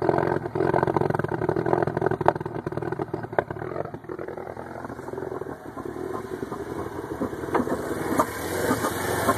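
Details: Pontiac Solstice GXP cold start at 54 degrees ambient. The idle is uneven and stumbling, skipping irregularly instead of settling smooth: cold-start misfire.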